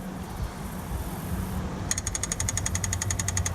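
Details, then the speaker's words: Onan generator for an MC9 bus RV conversion, after float repair and leak test: the electric fuel pump, wired up directly, runs with a quick, even, bright ticking about four a second over a faint low hum. Normal pump operation. "can probably hear that little ticking that's the pump running now"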